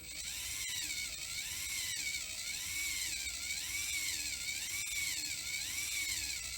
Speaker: So you can clearly hear that there's a little rotational binding, and I disconnected the front drive shaft and it's not there at all.